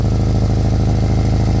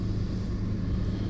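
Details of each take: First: Old Kia Soul at idle after backyard exhaust pipe repair: steady idle with rhythmic puffing tick in step with firing, a small remaining exhaust leak at a bracket; "a little bit noisy, but not where it counts". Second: Old Kia Soul, idle after replacing rotted exhaust pipe that was horrendously loud: steady even low rumble, small exhaust leak barely audible; good enough, exhaust sounds sealed.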